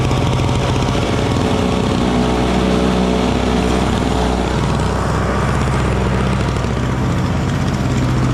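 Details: Small Frontier backyard snowblower clearing snow from a shop floor in cold weather: a steady, even small-engine drone that holds its speed through the whole pass under load with no surging or knocking. It is running well.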